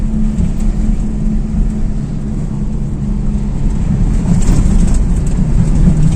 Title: Гудит ступичный подшипник! Как проверить и определить?